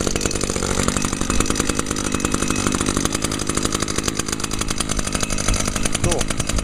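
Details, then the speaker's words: 2011 Echo PAS 230 with a 22.8 cc two-stroke engine, just started using choke and primer: fast, even buzz held steady without stumbling; runs at a much higher RPM than the SRM 225, normal high-rev running. "cool yeah as you can hear that this one runs at a much higher RPM than the srm225"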